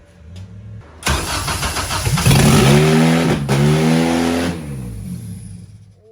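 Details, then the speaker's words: First start of a K24-swapped EG Honda Civic on KPro after the C101 connector plugs were swapped and the crank position sensor was rewired; the fuel pressure regulator leaks slightly. Fires straight up and revs loud and clean, then settles. Normal start and rev. "my God that was loud"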